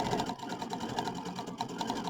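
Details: Brother Aveneer EV1 sewing machine free-motion quilting with the stitch regulator: quick light needle ticking in short bursts, starting and stopping with fabric movement; a smooth, even, normal sewing run.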